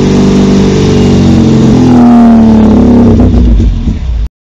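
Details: Long-stored MGB GT on its first restart: the engine catches and revs with a steady, throaty drone, pitch following the throttle, then cuts off; there is a radiator leak and it smokes slightly, but it runs normally.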